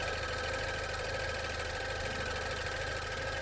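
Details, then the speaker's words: 2016 Range Rover Evoque, pre-purchase inspection at idle: steady idle with a light quick ticking on top, not loud or harsh; cause unconfirmed, inspector suspects it may be normal as on some BMW/Mercedes four-cylinders but is unsure. "okay i can hear something clicking it doesn't sound scary"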